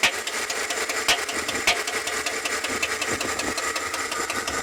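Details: Chevrolet Tahoe engine at steady idle with light, sharp, slightly uneven ticking pointing toward the lifters; cause suspected, not confirmed.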